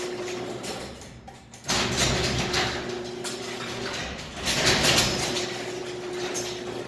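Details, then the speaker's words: Garage door opener started from the wall button: motor drones steadily, cuts out, then restarts as the door heads back up instead of closing fully. "the door will start to go down and then it'll actually push back up so I won't completely close"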